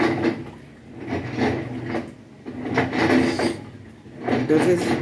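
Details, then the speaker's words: Haceb front-load washer at minimum water level fills, then starts washing with harsh, gritty grinding like stones, surging about every 1.5 s as the drum turns; something seems to grind in the drum or drive. "Entonces la falla es que llena y empieza a lavar y suena como si estuviera moliendo piedras."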